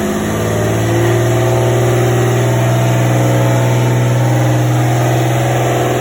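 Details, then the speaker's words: Freshly rebuilt forged RB25 on first start, low battery: loud idle sitting well above normal and climbing higher rather than settling; high idle, cause not yet known. "it was idling really high and then it just got even higher as it was idling"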